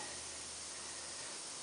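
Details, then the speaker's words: 2005 Bryant heat pump leaking refrigerant gives a steady, soft, high hiss with no rhythm. The cause is a pinhole rubbed into a tube behind a 3/8 pipe; oil stains were seen in the drain pan. "it's been rubbing and it's got the tiniest little pinhole in it and that blew"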